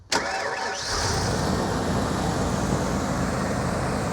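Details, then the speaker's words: Truck sat for years, 179,000 miles, started by jumping the starter solenoid posts after starter only clunked: quick crank, fires instantly into a steady, even idle with no stumble; healthy start. "Just like that, it's running, which is wonderful. So, this truck's been sitting here for years. Fires right up. Sounds like a good one to me."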